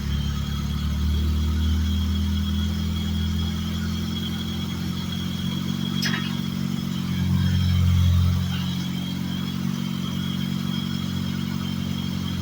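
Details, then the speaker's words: Mazda RX-8 swapped with a Honda S2000 F20 engine, rarely run since the swap and not yet tuned: deep, steady engine note with one quick rev in the middle that settles straight back to an even run. Normal running and revving. "That you? Sounded really good."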